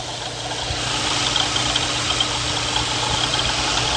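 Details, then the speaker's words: Jeep Liberty 3.7 idling: constant hissing, moaning whir over the engine note, pump visibly wobbling; worn water pump bearing, needs a water pump. "as you can see yes guys this car will need a water pump okay typically on 37"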